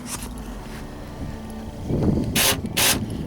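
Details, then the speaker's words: 2006 Ford Expedition door lock: as the key turns, quiet ticking then two sharp rattling bursts; the lock ratchets instead of locking, and the lock cylinder is to be replaced. "When I lock it, listen to what it makes. Hear the noise it's making? Instead of locking,"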